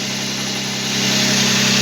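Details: Toyota 1G-FE (BEAMS) engine, first start after valve clearance adjustment and swapping worn lifter buckets for ones from another engine, not yet warm: smooth, even idle that picks up slightly as it settles, with the previous top-end knock gone.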